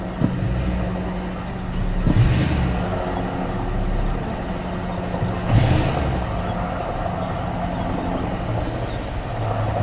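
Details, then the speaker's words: 2000 Toyota Tundra SR5 4WD 4.7L after cleaning the dirty throttle body venturi, at operating temperature: steady low idle with two quick blips that settle back smoothly without dying; cold idle was about 1,100 RPM. "what you saw earlier when it first started it went to about 1,100 RPM because it was cold and as it got warmer the idle dropped that's the way it's supposed to gear"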